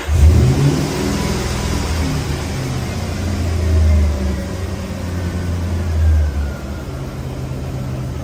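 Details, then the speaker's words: Toyota Soarer/Lexus SC400 1UZ-FE V8 (1994 vs 1995+ ECU and wiring differ): revs swell and sag unevenly, kept alive only by throttle blips, won't settle to idle, hard to keep started; idle speed control not reset, TPS sometimes picks out. "It's not going to do it because it's awkward to get this to actually stay started."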